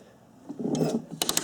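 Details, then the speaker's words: Yamaha YZ426F bought not running, valve clearances being checked, kicked over slowly by hand: clunks, then a soft whoosh back out the intake on the compression stroke; compression leaking past an intake valve. "Hear that? That's bad. That's That's air coming back up through the intake."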